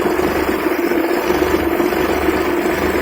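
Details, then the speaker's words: Maruti 800 (1997) carburettor petrol engine idling after tuning the carburettor fuel adjustment screw; steady, even smooth low hum with no shake or stumble, vibration gone. "பார்த்தீங்கன்னா engine vibration இல்லாமல் ஸ்மூத்தாக இருக்கும்."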